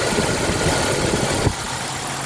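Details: 1996 Jeep after a stuck-open EVAP purge valve was temporarily plugged with a bolt: smooth, steady idle with no hiss or whistle underneath; the vacuum leak is gone and the engine runs even.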